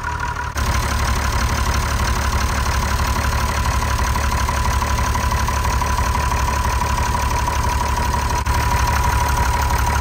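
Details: TK Bedford crane truck with a replacement Perkins 6354 six-cylinder diesel, parked in a farm shed 20+ years, now restarted after bleeding air from the fuel lines: steady, even clatter of about three beats a second with no misses, a normal healthy idle.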